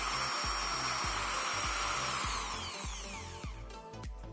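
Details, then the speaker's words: Bosch GSB 550 Professional 550 W variable-speed reversible impact drill after one year of use, run with no load: spins up to a steady high whine with an even buzz and winds down cleanly; sounds quite smooth and healthy. "Ya, cukup lumayan halus ya rekan-rekan."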